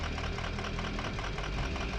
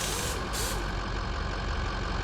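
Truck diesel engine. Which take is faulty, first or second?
first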